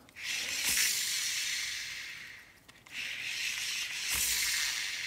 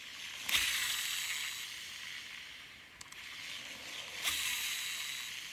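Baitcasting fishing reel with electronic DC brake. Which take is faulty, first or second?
first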